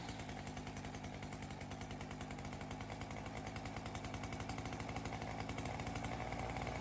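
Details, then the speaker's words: Ryobi CS30 two-stroke trimmer with new aftermarket HiPA carburettor; fast even buzzy idle, low and very consistent, no surging or dying; high consistent, slight break-up at top; normal idle. "The response seems okay. The high seems pretty consistent. I was able to kind of get it to just break up a little bit. The idle is nice and low, but very consistent."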